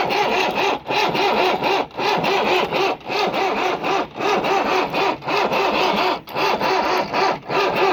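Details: Swaraj Mazda Super XM direct-injection diesel truck, cold start after sitting 4 years. Long slow cranking with steady rough churning and uneven dips about once a second, not yet firing.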